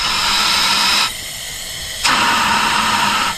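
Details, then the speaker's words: 1st-gen Honda CR-V (1997-01) leak-down test: steady loud hiss of compressed air escaping out the exhaust, dropping and returning in bursts; bad exhaust valve on that cylinder. "hear that coming out of the edge forcing it back through here and then out this other cylinder because that one's on the um exhaust stroke so now it's the easiest way out is now here since he's blocking it so we have a bad exhaust valve on this cylinder here"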